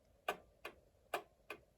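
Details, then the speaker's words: 110-year-old Ansonia Blackbird clock movement, freshly oiled at pivots and remounted in case: four sharp ticks in under two seconds with uneven spacing, short gap then long, a limping tick-tock; clock is way out of beat. "That's way off. It should be very easy. It should go tick tock, tick tock, tick tock."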